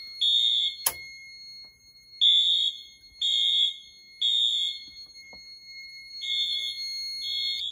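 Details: Wheelock MT horns in a test system with Fire-Lite MS-9200UDLS addressable panel sounding general alarm: loud, piercing blasts in three half-second bursts then a pause, repeating cleanly, working as intended.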